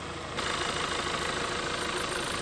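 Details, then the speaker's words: VW Touran 1.4 TSI petrol engine idling steadily after final engine reassembly, with an even hum and no knocking, grinding or squeal; the water pump side no longer makes any suspicious noise. "le moteur tourne super bien déjà du côté de la pompe à eau il y a plus aucun bruit suspect"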